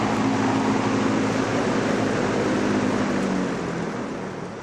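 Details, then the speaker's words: Vintage McGraw Edison Zero box fan, about 1970s, freshly cleaned and motor oiled after 12–15 years; steady airy rush over low hum easing slightly at the end, its long-standing unexplained buzz, no rattle or grind; normal running. "this one has always had a buzz never never did know why but it just wouldn't be the same without it"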